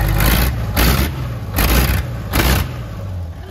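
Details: 1972 Freightliner cabover diesel first running after 27 years: lumpy idle surging in uneven pulses about every three-quarters second, missing on some cylinders while clearing out; oil pressure about 80 psi.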